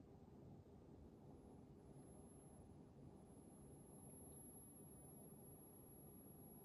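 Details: Mitsubishi Diamond 9000 BTU air conditioner, under one month old: quiet even running hum with a thin, steady, very high-pitched whine on top. Owner suspects a bearing; cause not confirmed.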